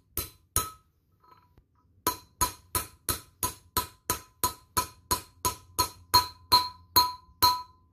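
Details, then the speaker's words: About seventeen sharp hammer blows on a socket drive a new bearing race into an air-cooled VW front brake disc, each ringing brighter until a clear bell-like tone shows the race has bottomed out and is fully seated. "that's the sound you want here that means it's bottomed out"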